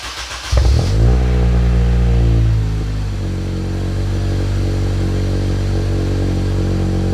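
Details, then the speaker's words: K-swapped JDM Honda CR-V (RD1), first start on a new custom mild-steel exhaust with 3" downpipe, 2.5" back, resonator and twin-loop muffler. Crank, catch, then a very loud, deep booming idle; the owner suspects an exhaust leak. "Holy shit, that's loud. Do I have an exhaust leak or what? Holy shit, I might have an exhaust leak. That shouldn't be that loud."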